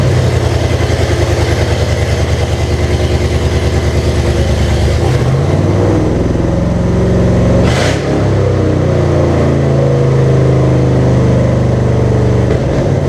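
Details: 1998 Jeep Cherokee with swapped 2005 5.3 LM7 V8, restarted with open exhaust and no O2 sensors connected: uneven, lumpy rough idle with a couple of throttle blips; owner suspects a vacuum leak.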